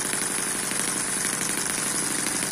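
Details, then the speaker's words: Eachine EM1 4-stroke double-piston (opposed-piston) mini gasoline engine at low speed: fast even buzzing with light crisp exhaust pops, sewing-machine sound, steady speed; running healthy and clean. "this is not intended to be a high-speed engine runs well just like this sounds like a sewing machine"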